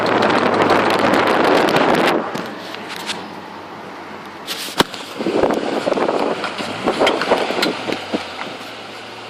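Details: Holden VY SS Commodore while driving: sharp, uneven intermittent clicks over road noise, worse under load and uphill, fading in neutral; cause was a worn rear right-hand driveshaft CV joint.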